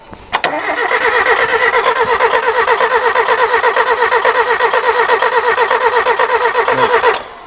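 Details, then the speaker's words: Ford TX3 Turbo B6T twin cam cranking with starting spray fed through a vacuum port; steady starter cranking about seven seconds with no catch or firing; crank-no-start, spark and ignition setup still unverified. "all right that didn't work so we'll check spark first see if it's sparking we just still don't know if that ignition is quite right"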